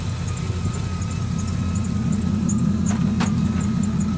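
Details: 2003 Chevy Silverado 6.0L V8 after a TPS/throttle body fix and throttle body coolant bypass mod, with cold air intake and straight pipe from stock headers: a steady, even low rumble with a loud open exhaust, no knocks or misses; smooth idle.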